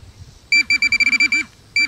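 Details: Minelab Pro-Find 40 pinpointer at max sensitivity, ferrous tone ID on, brought down over a dime: quick high chirps, about ten a second in short bursts, signalling a non-ferrous target.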